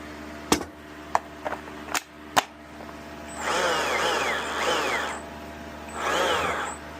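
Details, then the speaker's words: Stihl MSA-series battery chainsaw (MSA60/70/120/140) reassembled after cleaning for a not-oiling fault, with the worm gear, sprocket and C-clip refitted. Spin test gives a whirring, uneven chain whine that the owner suspects is set a little too high; the cause is unconfirmed. "I'm going to push it down. That actually sounds like it could be a little too high."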